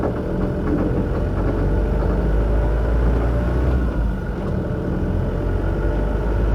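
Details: Mk6 Ford Transit 2.0 diesel FWD van rolling, with uneven dull knocks from the front wheel(s) shortly after new tie-rod ends were fitted; front suspension or wheel knock, cause not stated here.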